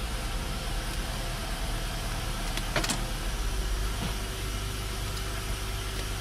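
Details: Normal idle of a 2005 Honda Accord EX V6 coupe after replacing the transmission range switch for an intermittent no-crank no-start; it starts in park and neutral. A quiet, steady, low hum with no misses or knocks at an even idle, sounding normal.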